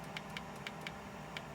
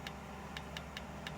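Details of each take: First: Nespresso Aguila 220 (Thermoplan) coffee machine that won't foam milk: crisp, evenly spaced clicks, three to four a second, over a faint hum from the rinse valve switching normally; a board issue is suspected. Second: Nespresso Aguila 220 (Thermoplan) commercial machine not foaming milk: rinse valve clicks repeatedly, about four a second, over a low hum, suspected to be the board not supplying enough power; suspected solenoid valve chattering.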